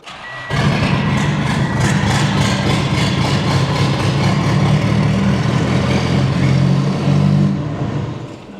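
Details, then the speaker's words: 1988 Chrysler Conquest (Mitsubishi Starion) turbo, 77k miles, first start after sitting 10 years: catches after a second, fairly even idle, no knocking; sounded like a miss at first then cleared, owner suspects a low cylinder from sitting. "Maybe that cylinder's low just because it's been sitting. You know how rings get sometimes. It didn't sound like it had a miss."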